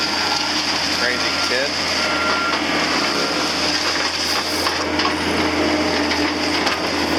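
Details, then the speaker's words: John Deere CT332 compact track loader diesel after maintenance and tightening loose bolts that had caused a rattle: steady, even run with a smooth whir and no rattle now; sounds healthy. "Sounds good. It was getting quite a rattle to it because of those loose bolts."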